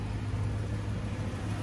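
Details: BMW M3 4.0L V8 after a no-start fix, with the starter trigger connector epoxied on: quiet, steady low hum with no misses or knocks; the engine idles smoothly.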